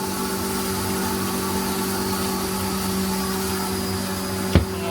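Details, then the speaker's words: Ajanta home flour mill (gharghanti) grinding jowar and rice: a steady, constant motor hum with a low drone throughout. Normal grinding hum. "आणि हा आवाज येतोय थोडा थोडा तुम्हाला तसाच आवाज कंटिन्यूअसली दळण होत असताना येतो"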